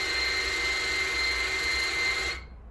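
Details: Hyundai Sonata YF LPI, car won't start: with ignition on, the LPG pump in the trunk gives a steady high electric whine and hiss, cutting off after about two and a half seconds; it builds no working pressure because its plastic housing had broken.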